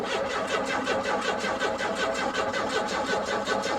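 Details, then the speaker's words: Car at auction, fuel gauge showing gas, no fuel pump heard, long unrun: starter cranks at steady even rhythm but engine never catches; crank no start, cause unconfirmed. "no i mean this thing don't run oh crap well it shows it's got gas there's the fuel gauge but now she don't run man she don't run"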